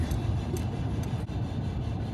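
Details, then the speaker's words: Owner-repaired truck on test drive after wheel work: faint light scrape about twice a second tied to wheel speed over road rumble; brake dust plate rubbing, cured by bending it back. "what's that rubbing on it's just rubbing then rubbing i think i thought it was it was just my plate it was just the dust plate rubbing"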